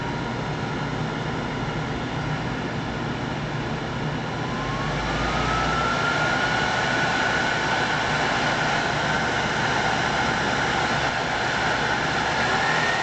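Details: World Model A hand dryer, General Electric universal motor fired up on the bench, heater disconnected: rushing blower with a motor whine climbing during spin-up, then holding even and smooth; healthy.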